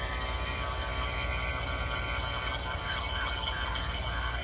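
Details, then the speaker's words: Harbor Freight Hercules cordless two-stage A/C vacuum pump (1.6 hp, 2 CFM, 23 micron), hooked to the low side: steady motor hum with a high whir, pulling the gauge into negative vacuum almost immediately, running normally. "Well, this little pump's doing a wonderful job. Here you can see I've got a negative vacuum on the gauge here, and that did it almost immediately."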